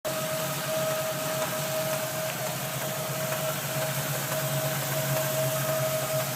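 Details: 1994 Land Rover Defender 90 4.6 V8 with a rough, slightly uneven idle under a steady hiss and whine; engine tapping and vibration.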